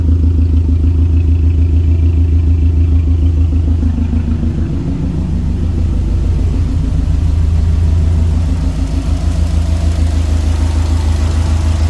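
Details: Tuned turbo Subaru idling after ECU relearn, no knock, vacuum fine, reseated Torque Solutions turbo inlet: deep, even burble with steady pulse, no misses, knocking or vibrations; sounds better than after the tune. Normal idle.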